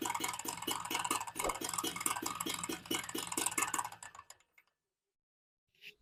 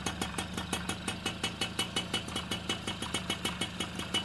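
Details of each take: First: XL Super motorcycle after full engine rebuild with new crank, clutch and bearings, at low idle, mic near engine; fast light metallic knocking like a worn clutch shoe; excess crankshaft play, engine to be reopened; crankshaft play knock. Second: Super XL moped after engine rebuild with new crank, clutch kit and bearings, recorded near the engine: light, even ticking idle about three beats a second, earlier noise gone, confirming the crank was the fault.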